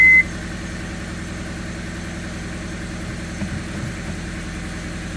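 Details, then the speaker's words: 2001 Honda Civic LX, first start after replacing condenser motor, alternator, coil packs and cam cover cap: short beep, then a quiet, even idle with no knocks or rattles; normal idle. "that's really quiet Lou you hear that [Music] I'm not shaking like crazy we'll let her circulate a little bit"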